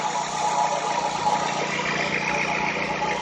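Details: 2008 Dodge Avenger with an intermittent crank-no-start caused by a broken injector wire at the connector, now repaired; quiet, settled idle with an even tone, no misfire or stumble: normal idle after repair.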